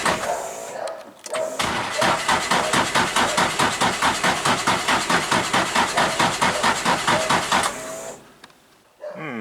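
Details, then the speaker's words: Nissan 180SX drift car on 12 V jump battery, crank fuel increased: steady starter cranking at about two compression beats a second for six seconds with no firing; cranks but won't start, no rpm signal seen while cranking. "no good uh grab some brake clean chuck it in the intake i think something's off actually"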